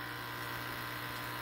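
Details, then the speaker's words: SunSun HW304B canister filter on a 125-gallon tank: steady buzzing hum with a fine continuous rattle from inner trays deteriorated by heavy UV-light use, before replacing the filter. "and the trays on the inside are all deteriorated from uh very early on i use the uv light way too much and i actually deteriorated the trays on the inside so it's just time to replace it"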